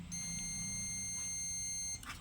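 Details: Bison LED par light power supply, with one rectifier diode leg lifted from the board: the meter beeps continuously for about two seconds, so that diode is shorted; the other diode tests fine, and a 5408 4-amp diode is planned as the replacement.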